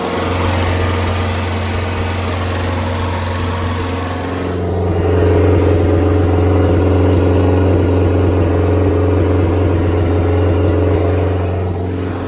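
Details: Circa-1986 Starcraft boat engine, stored about six months, running on water hookup after a strong spark check; smooth, evenly paced low idle, steady with no stumbles or misses while warming up. Owner reports a miss once at operating temperature, not yet shown.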